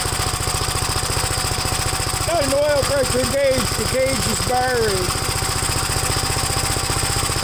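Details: Gravely single-cylinder engine at first start after gas tank install and new battery terminal: fast, steady putter, a bit rough and uneven in places, running rich on choke; choke later turned fully off and it runs all right.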